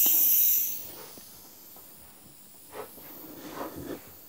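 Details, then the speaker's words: Bleeding trapped air from a radiator of a central heating system, heating forced on at 25°: a sharp strong hiss for about half a second through the bleed valve, then near quiet; a good chunk of air in there. "That's it. There's a good chunk of air in there."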